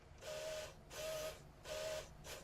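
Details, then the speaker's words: QIC tape drive on a full-size cartridge with a replacement Plastiband tension band, initializing: three hissy whirring bursts with a faint mid-pitch squeal, uneven and strained; tension band too weak, worse than before. "tape initialize ready oh can you hear it it's worse"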